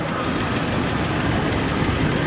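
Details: BMW E39 at idle: a quick, even, light ticking over the engine hum at idle-speed rate; source unknown.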